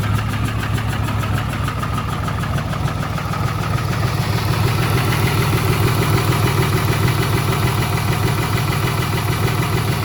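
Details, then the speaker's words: 2008 Dodge Ram 3500 6.7 Cummins diesel, a former no-start, just fired after fuel reached the rails (injectors untested); steady idle with an uneven, lumpy beat about three per second, no smoke, runs rough, cause unknown. "Oh, it's running. Does not sound good. >> I guess I'm going to sit here and let it idle. It's not smoking."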